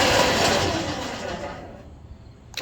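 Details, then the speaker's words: MAXXD roll-off trailer's DK2 Warrior Samurai 17,500 lb winch after 3 years of heavy daily dumpster use: a harsh grinding rasp as the winch slows and starts to brake near the end of the pull, from a slipping, stripped drive gear that was replaced. "So it sounds like it's hitting a gear. So as it starts to want to brake, it makes a horrible grinding noise."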